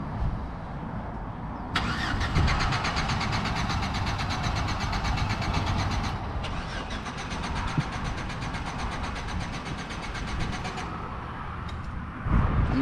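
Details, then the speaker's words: Chevy Silverado after fuel pump replacement; pump primes, but the starter cranks steadily in two long runs with an even ticking churn and the engine never catches; owner suspects spark plugs, wires or distributor cap, not the fuel pump; crank no start. "looking too good guys this is probably the spark plugs or no no no no no no the wires if not the wires the distributor caps but i don't think it's a fuel pump"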